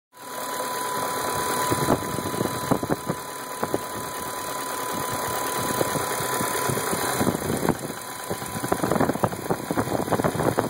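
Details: Rough idle on a 02/99 BMW 540i Sport: an uneven idle with irregular stumbles and clattery spikes and no steady rhythm. The cause is not clear.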